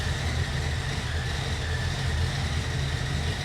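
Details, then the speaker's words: 1968 Chevy C10 with a small cam, just started on a jumper pack: deep, even idle with a faint mild-cam lope and apparent oil pressure, healthy overall. An unidentified whistling noise is also noticed. "sounds like it has oil pressure but [Music] yeah that doesn't surprise me it's got a small cam in it i can hear it"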